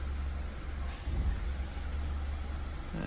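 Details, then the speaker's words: BMW 320i after repair (engine removed and reinstalled), codes cleared, radiator coolant slightly above normal, at idle: smooth, low, even rumble with no squeal, ticking or hunting; smooth, no noise or oscillation, normal idle. "funcionamento do carro agora tá suave sem barulho sem oscilação mais um BMW aí que foi salvo né"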